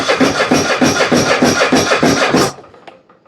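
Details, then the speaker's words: Husqvarna riding mower with Kohler 7000 series engine, customer already fitted a new starter and carburetor: key start with a little choke, cranks at about three pulses a second with no firing, smells of bad gas; later traced to fuel flow blocked at the tank. "This Husqvarna came in for no start. Customer says he's done put a new starter on it and a brand new carburetor."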